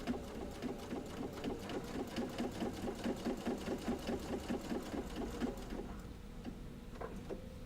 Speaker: All right. So now all I'm going to do is I'm going to start here and I'm just going to sew a/4 inch almost all the way around.